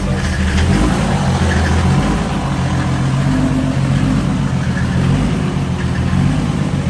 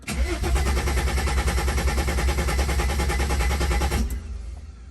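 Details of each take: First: Mercedes OM606 diesel swapped wagon idling after replacing a rusty fuel tank that caused low fuel pressure: steady even diesel clatter with deep rumble, no misses or knocks; engine loud but new pump much quieter, normal idle. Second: Wagon with OM606 diesel swap after replacing rusty fuel tank causing low fuel pressure, injector lines cracked loose: about four seconds steady cranking, roughly three turns a second, not catching; purging air.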